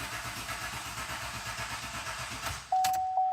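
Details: 2014-2019 Chevrolet Silverado cranked with gas pedal floored during GM bulletin 18-NA-161 negative battery cable voltage-drop test, drop 140 mV (under 200 mV limit): steady rhythmic cranking about three turns a second, then clean start; normal.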